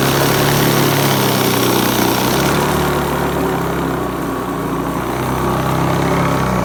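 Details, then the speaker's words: Hoover Commercial C1310 upright vacuum after a third, slightly smaller, tighter belt was fitted; even, steady motor roar with a strong whirr that dips slightly midway, no slipping squeal, during an agitation test on rice and sawdust; normal running. "okay so third belter charm and put on another belt these were a load of belts that I bought when I was in the States and these well it worked it worked so much better"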